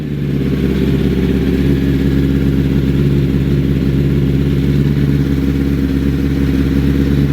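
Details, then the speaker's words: 2005 Honda CBR1000RR after balancing shaft adjustment: steady idle with an even low rumble and the earlier whining whistle gone, but slightly lumpy; the idle adjuster on the thermal valve may need fine tweaking. "That sounds so much better. Okay, so bike sounds way better. The whistle is gone. It sounds a bit rough now compared to what it used to sound like with the shakedown ride."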